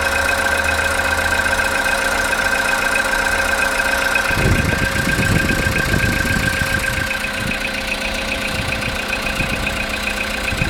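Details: Cold-start engine knock after sitting overnight: a sharp, fairly steady tapping at idle, about three to four knocks per second. It gets quieter when revved and disappears after 10 minutes of warm-up or 2–3 minutes of driving. Cause unknown.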